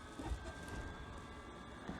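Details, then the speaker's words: Kea Breeze 4-berth motorhome on Mercedes Sprinter chassis: diesel heater running with a steady low combustion roar and faint constant whistle, no knocks or surging; working normally. "now you can hear the diesel heater running it works pretty well and it's very straightforward"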